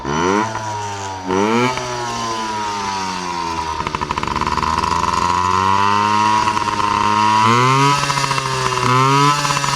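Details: Yamaha PW50 two-stroke with freshly cleaned carburetor, deliberately run dry of fuel: revs sag and surge unevenly as it bogs and falters from fuel starvation, reproducing the original bog-and-die at wide open.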